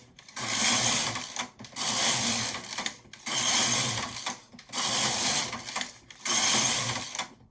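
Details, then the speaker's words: Empisal Knitmaster electronic knitting machine (550/560/580, Silver Reed SK-840 type) knitting two-colour Fair-Isle with Mylar sheet; carriage swishes back and forth about every 1.5 s; a beep marks the end of each pattern repeat, none clearly heard; normal knitting. "Cuando se escucha el pitido significa que ha terminado de repetirse el diseño y vuelve a comenzar."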